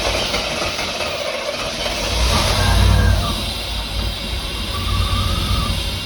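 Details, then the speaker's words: 1989 Pontiac Firebird Formula 350, 10,000 miles, barn-stored: engine catches and surges unevenly on sprayed brake cleaner; plugged injectors suspected, to check with noid light. "Yeah, it should. Actually, it'll run on this brake clean too. It might be a little softer on that engine than that starter fluid."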